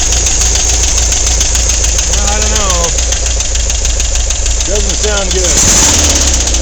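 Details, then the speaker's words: Volkswagen at idle on a morning commute, noise much louder than usual: loud, uneven clacking about 3-4 per second from one corner of the engine over a rough idle; suspected valvetrain clack, cause not yet found. "can you hear the noise on this side of the engine I'm not sure how well you can hear that but there's a clack down in this corner and I got to figure out what it is"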